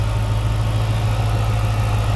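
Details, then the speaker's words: 2006 Chrysler 300 SRT8, idling after intake manifold gasket replacement and a replaced wedged vacuum part: deep, steady low hum with an even pulse, no shake or misses, no body vibration; smooth, healthy idle. "When I did, popped it off, put a new one. Man, listen to that thing just purr."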